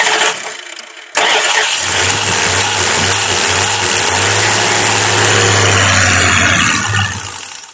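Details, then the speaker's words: Truck under restoration, injector not spraying fuel at key-on: starter catches, engine runs roughly at low idle several seconds then dies; runs slightly longer, owner suspects wiring; cause unconfirmed. "she's staying running a little bit longer so it might be something to do with them wires"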